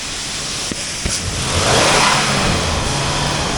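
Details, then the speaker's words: 2005 Toyota Tacoma PreRunner 4x2, 4.0L 1GR-FE V6, automatic, 216,000 miles, donor test before part-out: even, steady idle with a brief rise in revs, no knocks or ticks; engine runs nice; shifter stuck, likely rusty cable. "But it runs good, radios work. Shifter's stuck. I believe it's probably a rusty shifter cable. Runs nice though."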